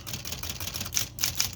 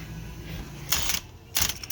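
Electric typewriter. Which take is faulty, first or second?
second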